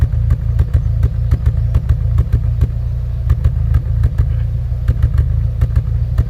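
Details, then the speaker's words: Ford Fiesta ST150 with engine light on: deep, lumpy idle with irregular thumps, probably running on three cylinders. Owner suspects plug gaps or a plug wire extension with bare insulation lying next to the red-hot manifold. "Obviously, it's running really rough, running on three probably."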